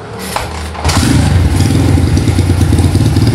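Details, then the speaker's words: Honda GL100 motorcycle fitted with a Tiger cylinder block and head, serviced for smoking and oil seeps before a touring trip. After the service it kicks over and settles into a quick, even thump, smooth like a new Tiger: normal idle. "temen-temen bersih-bersih halus ya Aduh halus Suaranya kayak motor Tiger baru ya teman-teman"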